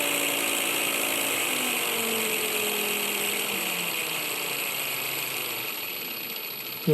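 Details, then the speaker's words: Cordless angle grinder motor, 19.2 V, 7000 rpm, run on a 12–24 V 30 A LED-strip PWM dimmer at minimum: thin steady high whistle from the winding over motor hum sliding down as it slows; whistle inaudible at higher speeds. "Mais on entend un sifflement, et c'est l'enroulement qui siffle. À ces vitesses, le sifflement n'est plus audible."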